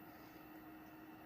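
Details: Amazon SH-PWS33 1 kW 50A DC-DC buck converter stepping 83 V down to 5 V output: faint steady hum with one constant tone, no rattle, scraping or wobble; small cooling fan spinning normally. The unit later shorted its switch transistor within five minutes.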